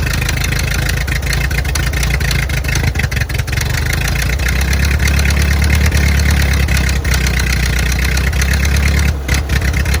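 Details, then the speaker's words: 1928 Ford Model A four-cylinder, sat 75–80 years in a ditch, cold day, no coolant, first run after revival: loose uneven idle with slight throttle rise; hard rattle judged not rod knock but exhaust leak from misaligned manifold. "But she's running, and I got to say, for as bad hurt as she is, that real hard rattle is that's not a rod knock. That is the, let me think here. That's the exhaust leaking because somehow I've got the manifold leaned down a little b"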